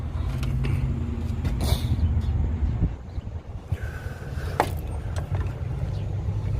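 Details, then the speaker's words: Car that won't start, customer reports grinding: heavy uneven rumble with rough grinding while cranking, never firing; timing belt sprocket/cam phaser has come off and pushed out the timing cover, needing timing belt and probably phaser. "This is called, this wheel right here, it looks like it came off. That's the grinding noise we're hearing. Do not start this car again. It'll make it worse."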